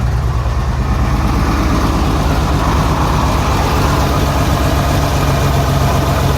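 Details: Renix Jeep Cherokee straight-six idling: low rumble with faint uneven stumble, misfire on cylinder 6 whose exhaust valve rocker moves less than the others (tight valve); backing off the rocker bolt later cured the miss.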